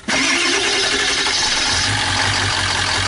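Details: 2001 Ford E350 Powerstroke diesel, abused by being run without an air filter and on plain water, overheated, with a block that froze and cracked: starter cranks, then the engine catches roughly and settles into an uneven, labouring run. Hard restart.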